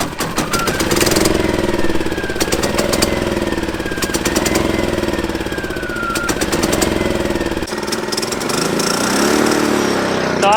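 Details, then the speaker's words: Champion inverter RV generator that wouldn't start, jump-started with choke on: small engine runs lumpy and uneven with irregular sputtering and surging, blowing lots of gas; owner thinks it's over-choked. "sounds like well it sounds like a four-wheeler whoa we got blowing lots of gas out I think we're over choked"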